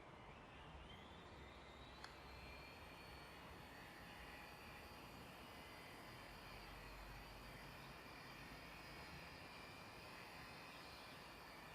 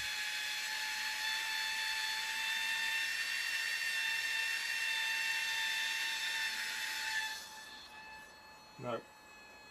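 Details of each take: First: Air Hogs Wind Flyer toy plane on tethered round-the-pole flight, modified with a 2.7 V supercapacitor charged from a lithium-ion battery, after resoldering a loose motor connection: a steady, even electric motor and prop buzz; now fixed. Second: Suspected slipping gear on an Air Hogs Wind Flyer toy plane's motor, fed directly from a 2.7 V supercapacitor: thin, steady high whine of the small motor spinning freely, then winding down, without driving the propeller.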